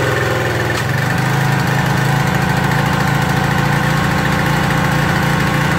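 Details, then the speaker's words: Craftsman 2700 PSI pressure washer with Briggs & Stratton 275cc OHV on a water test: low, heavy thudding, dragging under load. The pump unloader isn't working, loading the engine down; possibly gone a little too far on the jet. "okay the young loader isn't really working that's what you're seeing that's what you hear you hear it really loading down we may have gone a little bit too far on the jet too"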